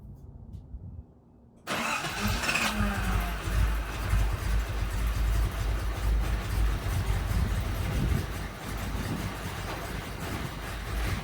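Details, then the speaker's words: Datsun 280ZX cranks steadily for about ten seconds at roughly two and a half turns a second but never fires or catches, after fitting a part the owner hoped would fix it; cranks but will not start, another failed attempt. "and once again another failed attempt I'm really beginning to despise this car"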